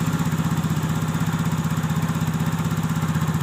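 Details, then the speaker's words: Yamaha Mio GT 125 scooter with a no-start complaint; battery 12 V, compression and 40 psi fuel pressure OK. Even, regular putter of about four pulses a second with no stumbles or clatter. Normal, clean idle. "dan coba kita hidupkan motor hidup dengan normal di tekanan 40 sampai 402 PSI"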